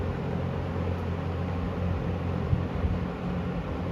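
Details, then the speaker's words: 1974 Kmart (Lakewood) P23 20-inch box fan on medium, oiled before purchase, heard from about 6 feet: low smooth even hum with soft air rush, no rattles or ticks; nice running harmonics, healthy. "It has very nice running harmonics. I think they sound great."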